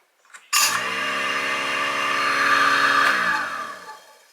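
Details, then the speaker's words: Newly installed Moen GXP59c Pro garbage disposal on an STS-00SM air switch: spins up to a steady, even high whir for about two and a half seconds, then winds down smoothly; owner says it acts a little funny but comes on and off, so it is judged normal. "seems to act kind of funny, but that's okay. As long as it comes on and off."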